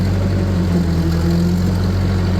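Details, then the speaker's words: Vintage Ferguson TO35 tractor pulling a bush hog through deep growth and over anthills; a deep, even, low drone as the engine loads up, with no knocks or misses; normal running under load. "You can hear the tractor working and the anhills. Holy mackerel. It's rough over the anthill. There's one right there. You can hear the engine load up."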